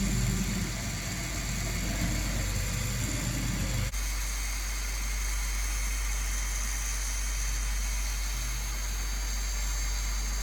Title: Dagoma Magis - Extremely Loud Noise